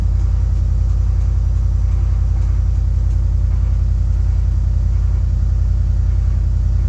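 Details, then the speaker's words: Cold start on 1967 Mercury Park Lane, 410 Ford FE engine, jumped from a truck, timing slightly retarded: heavy slow cranking about two and a half beats a second, no catch; battery toast, needs charging. "Well, that battery's certainly toast, so we're gonna have to charge that"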